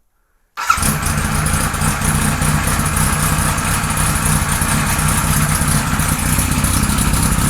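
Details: 1978 Kawasaki Z1-R four-cylinder on the stand, first start after carbs installed, idle raised, no enricher: busy, slightly lumpy uneven idle; synchronizer shows carbs 1 and 4 good, 2 and 3 out of sync, still running weirdly.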